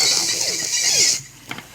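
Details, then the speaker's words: Old mini auto-reverse cassette player: music shrill and squeaky like chipmunks, far too fast to follow; tape motor running too fast. "ठीक है दोस्तों तो दोस्तों क्या है कि यह इसका स्पीड बहुत ज्यादा है बहुत ज्यादा होने के कारण इसका गाना आप लोगों को समझ में नहीं आ रहा है"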